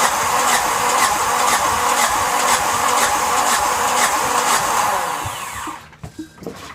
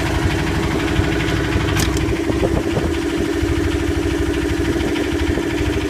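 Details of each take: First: Yanmar SB12 marine diesel after fuel line repair, bled and primed with the prime bulb, at about 41°F: starter churns about two compressions a second for five seconds with no firing; air in the fuel line suspected. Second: Yanmar SB12 marine diesel after fuel line repair, about 41°F, in gear under load, later ran 45 minutes without problem: steady clatter with even constant hum, no misses or surging; normal healthy running.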